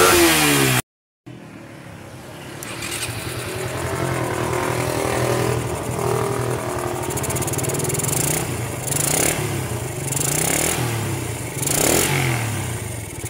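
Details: Suzuki Satria single revving with the battery disconnected: small single revs rise and drop back repeatedly, crisp and even with no cutting out or hesitation; revs freely on throttle.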